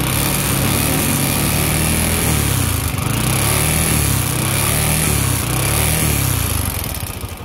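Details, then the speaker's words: Motorbike idles quietly but revving brings an uneven metallic clatter over the exhaust; engine knock when revving, mechanic attributes it to the piston knocking. "để garanti thì êm anh em ạ Nhưng mà ga lên thì kêu lách cách anh em nghe nhé"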